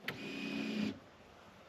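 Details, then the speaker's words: 1996-1999 Chevy Silverado K1500 GMT400, 5.7L 350 Vortec, NP241C/243C transfer case, mic moved close: click then short electric motor whir under a second, stopping cleanly; front diff actuator engaging, working normally. "So, you can hear so that is changing uh in shifting clearly. So, you know that your four-wheel drive transfer case uh actuator is working."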